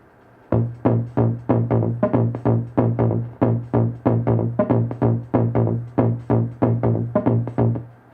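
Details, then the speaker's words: 1974 Hammond Auto-Vari 64 drum machine under repair, heard through an amp: steady dull low thumps under one per second with no cymbal or hi-hat ticks; high-frequency voices faint, appearing when a capacitor is bridged by finger. "Oh, when I when I bridge this capacitor with my finger, [music] you can I can hear the uh high frequency sounds through the amp."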